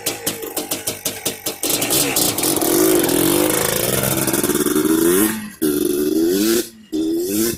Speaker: I like that. The idle's good right there, but so we can get some more shots of it running.